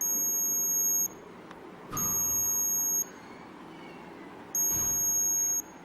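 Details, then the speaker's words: Arduino TCP/IP remote temperature-monitoring project, sensor heated with a soldering iron past about 48 °C (threshold set near 45): AC bulb switches off and the buzzer gives shrill one-second beeps every 2.5 seconds as the over-temperature alarm trips. "So above 48 degrees, it displayed alert. The AC bulb gets off and you can hear the buzzer beeping."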